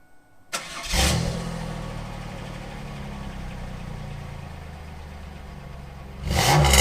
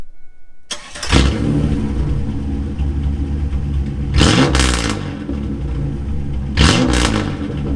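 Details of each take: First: 1997 Camaro 3.8 V6 (3800 Series II), just fitted with a new Walker Sound FX 18235 muffler: fires with a quick blip, then settles into a smooth, even low rumble with no rattles or leaks. Normal start and idle. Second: 1997 Camaro 3.8 L 3800 Series II V6, started and revved twice with muffler cut off: harsh, booming, very loud rasp on each rev; straight-pipe exhaust, before new muffler install.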